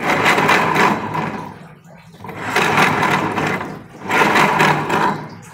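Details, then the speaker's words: Honda Beat FI scooter with rough CVT noise: grinding "grok grok" whirr surging with revs, louder under throttle; suspected worn CVT pulley shaft bearing or sliding pulley bearing. "Apakah laher as puli CVT yang ada di bagian rasio sudah bermasalah atau pada bagian lar laher yang ada di sliding puli CVT nya ini teman-teman lar bambu ya biasa mekanik sebut ya tuh suaranya grok grok grok grok"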